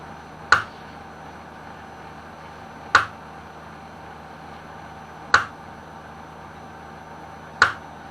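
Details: Kyocera M2040dn-type printer with FK-1150 fuser: sharp single clicks about every 2.5 seconds over a quiet hum; the healthy fuser drive gearbox clutch slips because the fuser rotates stiffly.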